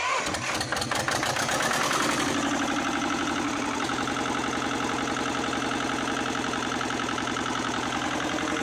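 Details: 1979 Lister ST2 twin diesel from a light tower, after bleeding the fuel system, fitting a filter, backing off the throttle and refitting the rocker covers. It catches and settles into a steady, even beat with no misses; it may need more throttle. Normal idle.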